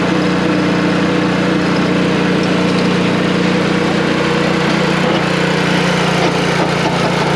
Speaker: all right here's the long and the shorter that i'm gonna tell ya looks like the belt is mal-adjusted we kind of knew that that was making noise before